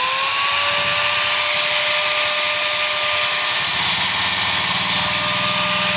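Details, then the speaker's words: Hand angle grinder spins up to a loud, hissy whine with a rough low rattle and excessive vibration, possibly caused by a worn, loose bearing that needs replacing. "gerinda ini Apabila dinyalakan dia akan bergetar terlalu kencang dan suaranya bising sekali"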